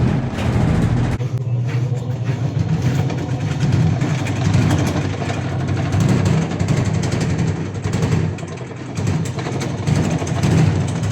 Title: automatic washing machine vibration problem